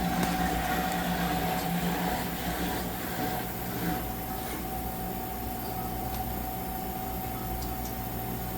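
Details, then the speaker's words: Manitowoc commercial ice machine after replacing a failed contactor so compressor and condenser fan run, about 17 minutes into the freeze cycle: steady even mid-pitched hum without knocks or grinding, normal operation before ice harvest. "Okay, it's been about 17 minutes and we're about to drop a load of ice. And 17 minutes is pretty good. So we'll sit tight here and we'll see some ice."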